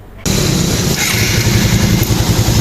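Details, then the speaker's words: Suzuki Satria single-cylinder motorcycle after its starter fault was traced to the starter cable, which was bridged; the battery was replaced, probably needlessly. The starter catches at once and the engine settles into a steady, even putter; starts and runs normally. "udah normal balik. Dengan menyambungkan kabel starternya."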